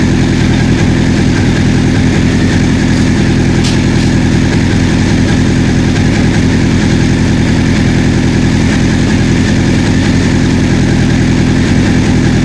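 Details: 1984 Honda CB700SC four-cylinder, first run after fixing a no-spark fault, warm: steady, even idle with no misses, knocks or hunting; exhaust smoke clearing, no carb leaks, owner thinks carb sync may not be needed; healthy.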